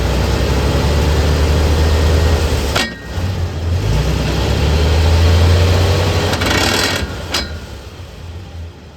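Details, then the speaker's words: Chevy OBS truck with newly installed distributor, running: low droning rumble with steady pulse about three to four times a second from underneath; owner traced noise to a bad transfer case, also suspects a bent drive shaft. "but I believe it's just the transfer case. I got up underneath it and all the noise was coming from the transfer case."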